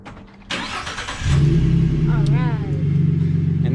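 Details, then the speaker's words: 2015-2019 Ford F-150 remote-started by newly installed Start-X remote start (lock, unlock, lock on key fob): short crank, catches within about a second and settles into a smooth, steady idle; normal start. "So since you installed it, what I'm going to let you do is all you're going to do is hit lock, unlock, lock, and let's see if it starts up."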